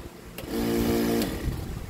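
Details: GTC nebulizer compressor at 127 V that stopped after a snap, repaired by fixing a broken power cable worn by flexing, reassembled: small pump hums at a steady low buzz under a second, no rattle or strain; runs normally.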